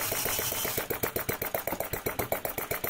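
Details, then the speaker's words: Enginediy Retrol large model four-stroke petrol engine, started with a drill and powered by a power supply: drill whirrs briefly, then it catches into a quick, steady popping beat; starts easily and runs well, with some smoke. "So yes, it starts really easily and it runs well."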